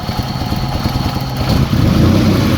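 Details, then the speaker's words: Chrysler Sebring with check engine light, running rough in closed loop: lumpy idle, then at about 1.5 s the note swells and runs firmer as it drops into open loop; engine surge, cause unconfirmed. "open-loop you hear you hear a surge and it kind of runs better for a second when he goes into open-loop"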